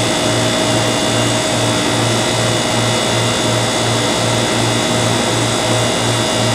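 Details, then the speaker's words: Airtemp CIV08S2AC 7,600 BTU casement air conditioner cooling, output stable at 36: steady compressor hum with a soft even pulse and constant fan rush; good charge, though airflow is weak and probably needs cleaning. Normal cooling operation. "You can hear the gas going through, it's got a good charge. Everything seems copacetic here."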